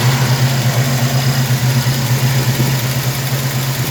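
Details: 1967 El Camino with 427 big-block V8, MSD Atomic EFI throttle body with fuel return line, about 100 miles on the install: deep, steady burble around three pulses a second, no misses, ticks or knocks; warm, healthy idle.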